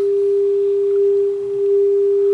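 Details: 1930s Philco 112-B radio after electronic restoration, alignment at 600 kc with generator's 400 Hz modulation: clear, steady tone without hum or crackle, set aligned and receiving well.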